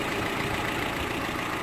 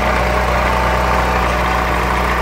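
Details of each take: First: 2005 Renault Clio, 75,000 km, after replacing ignition coil (misfire, water on plugs) and belts/tensioners with water pump: petrol engine idles smoothly and quietly with no misfire or belt squeal; normal idle. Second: Renault Clio petrol engine at idle: rough uneven misfire with faint steady whirring rub from belt area; water found in spark plug wells, cleaning plugs and cables didn't fix it, cables/coil to be replaced.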